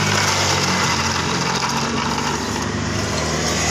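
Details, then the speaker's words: Suzuki Spin scooter engine gives a coarse, uneven CVT growl when the clutch housing is fitted and runs smooth without it; the cause is a worn, wobbling double clutch assembly at its neck. "Nah inilah harinya sudah apa goyang-goyang banget ini goyang banget ini jadi kalau dipasang suaranya ngorok"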